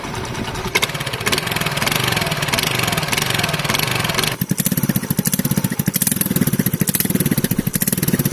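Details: TVS scooter after welding the exhaust and replacing the bend pipe to the silencer: even, regular putter at idle after a throttle blip, no rasp or leak; exhaust sounds sealed and normal.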